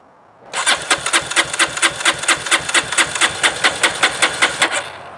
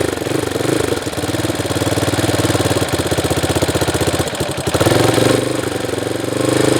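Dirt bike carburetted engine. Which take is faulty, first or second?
first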